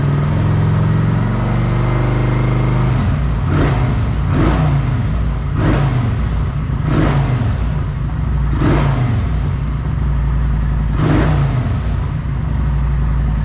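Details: Kawasaki Vulcan 900 V-twin after new fuel pump, fresh fuel, cleaned ECU and wiring fixes for a no-start: fires up to a steady even idle with several clean throttle blips; runs healthy.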